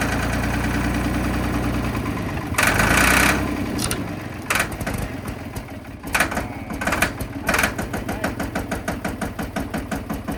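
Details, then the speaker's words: Ford 3500 backhoe diesel after sitting a long time: rough cranking and sputtering catches, then a steady clatter about three beats per second running on its own, showing injectors and injection pump work; normal running after storage. "well as you can see we got it running and I think there at the end it started running on its own power which means the injectors are working which means the injection pump is working"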